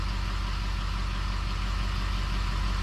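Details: 6.0 Powerstroke diesel with rebuilt engine, idling: deep, even idle pulsing about three times a second with no knock or miss; engine idles healthy.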